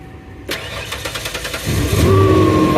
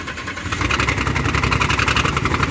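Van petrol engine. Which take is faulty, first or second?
second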